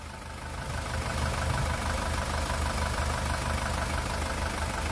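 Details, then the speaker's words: 2018 SsangYong Rexton Sports diesel at 119,174 km, after an engine rebuild (a broken crankshaft cap bolt had holed the cylinder block and melted piston 1): normal idle with a steady, even low rumble, no knocking or shaking. "엔진 떨림도 없고요 소리도 잔잔 합니다"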